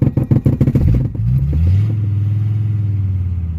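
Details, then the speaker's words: Mercedes OM617/616 diesel just after replacing the injector return lines and fuel filters: lumpy, uneven chuffing at start-up, then it smooths into a steady idle as trapped air bleeds out under throttle. "not too crazy just give it fuel until you hear it uh smooth out there we go"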